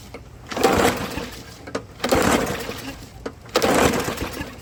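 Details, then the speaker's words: Old lawnmower neighbor has kept alive for years suddenly won't start; starting spray used to test; three pull-start bursts, engine spins without firing; spark plug wet, almost clean, electrode end touching, no gap, so no spark. "So let me pop the spark plug out, see what it looks like. Well, there's your spark plug, and I don't know if you can see that in the camera, but your end is touching the electrode."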